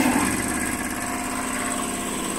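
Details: Vevor 5500W EM 5500-48L inverter on battery power under heavy load (about 2.8 kW plus compressors): a steady high-pitched whine over even cooling-fan rush, staying constant. Normal operation, nothing faulty.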